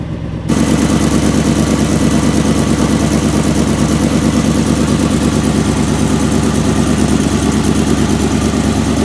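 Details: 1977 Chevy Big Ten, 350 V8 with granny gear, cold start after sitting (run weekly); choke faulty so gas pedal pumped, ignition switch broken; catches after brief silence, settles into smooth, even V8 burble at steady cold idle; healthy running.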